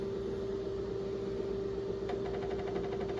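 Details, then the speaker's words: IBM XT hard drive after FDISK partitioning, before formatting: steady mid-pitched hum with faint rapid ticking joining halfway; sounds bad, though owner unsure whether it may be normal for this drive. "just sounds bad. Like, really bad. It could be normal, too. I don't know. I don't remember how this drive behaved in its previous system, so..."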